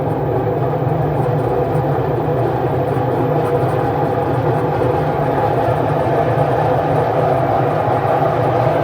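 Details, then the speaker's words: Washing machine on spin cycle set to 800 rpm after reassembly: steady loud rumbling roar with no pitch change; drum very noisy, bearings suspected, to be checked. "so the drum is very noisy uh let me put it [Music] off so you can see the the only problem left is the drum is very noisy so we will check the bearings"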